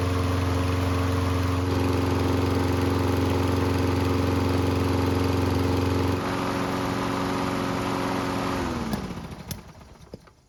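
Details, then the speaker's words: Used lawn mower after maintenance and part replacement, test run; smooth steady running, then winds down with a couple of small pops at shutdown, nothing too bad; runs fine overall. "Now, there were a couple of pops at the end, but nothing too bad."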